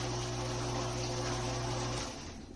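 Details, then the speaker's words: Frigidaire Gallery Professional dishwasher after wash pump motor tear-down and repair, tested partly assembled with water poured in: steady low motor hum with water rushing and spraying, then winding down; the wash pump works normally. "I can hear the water so sounds good"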